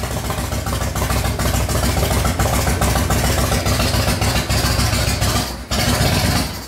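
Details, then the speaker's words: 1997 Harley-Davidson Fatboy Evo running cold on choke with an uneven, lumpy lope, stumbles and near-stall, won't take throttle, dies without choke; intake leak or wrong jets suspected, needs carburetor work. "wow this thing's cold nature you cannot let that choke off at all it does run though so woohoo I think this thing needs some carburetor work"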